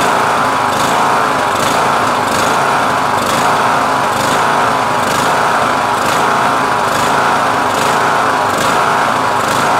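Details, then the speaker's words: MTD Yard Machines lawn tractor, 20 HP Briggs Intek, carburetor fitted straight from a drawer unopened, cover off: engine holds an even, steady speed at full idle without surging; ran better with choke partly closed. Normal running. "So this is a full idle. I'm gonna shut it off because I don't wanna run it too hard and too long without the cover on."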